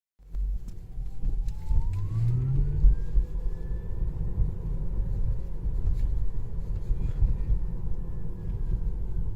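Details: Tesla Model 3 Long Range AWD Performance, with AC and music off, has a loud drive-unit whine rising on acceleration and falling on deceleration, in both sport and chill modes and with low regen, which began weeks after purchase.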